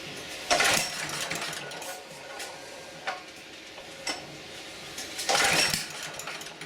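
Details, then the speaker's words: Auction-bought generator, choked pull-start attempt without checking oil: cranking with sharp pops in bursts, never catches; old spark plug broke on removal. "Oh, still got a back fire."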